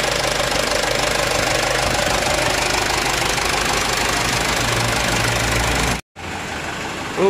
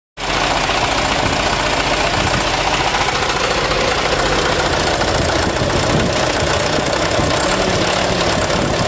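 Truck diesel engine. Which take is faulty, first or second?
second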